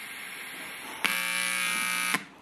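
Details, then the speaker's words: Homemade Bluetooth speaker with TDA2005 amplifier, old Motorola S9 headset: harsh steady buzz switching on and off abruptly, static from the left side despite following the datasheet schematic; cause unknown. "whether it be thee home or dead it this static coming out of the left side"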